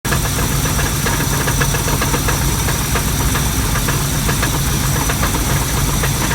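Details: 340 V8 with FiTech fuel injection installed: steady idle with an irregular light knock riding over it, about three or four a second; owner suspects rod knock, unconfirmed.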